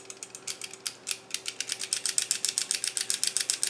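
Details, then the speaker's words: Walther PPQ 9mm 15-round Italian-made magazine loaded with 14 rounds, shaken: sharp, light metallic clicks about four times a second. This rattle is typical of these magazines; the HK P30/VP9 magazine is compared. "almost every Walker ppq mag I've ever seen when you got 14 rounds in it alright you get this and I've heard a lot of people complain"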